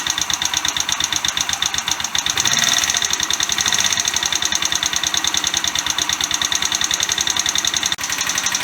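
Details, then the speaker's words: Chinese GY6 125cc scooter after an engine rebuild with a new cylinder head: fast, sharp, even ticking over the idle; very tappy, and the owner hopes it is valve clearance at the top end, not the bottom end. "Right, well, she's running, which is good, but she's very tappy. And I'm hoping that tapping is from the top end, not from the bottom end. It's hard to tell. If it's the bottom end, we've got bigger problems. But if it's the top end, it could just be valve clearance adjustments."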